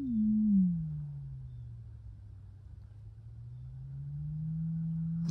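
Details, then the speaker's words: Mid-1930s Knight 98AE-184K receiver, six-inch electrodynamic speaker with field coil energized, after adding a transparency-film shim: sine tone near 100 Hz gives a clean, steady hum with no buzz or rattle at 100 or 200 Hz; cone moves freely, no rubbing. "no rubbing now we're buzz rattle at 100 hertz or 200 hertz"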